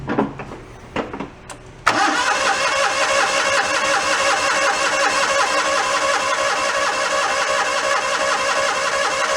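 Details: John Deere 318 garden tractor, broken down and reported hard starting, choke use and starting fluid tried: starter cranks steadily but engine never fires; hard starting, blamed on water in fuel and a fouled carburetor.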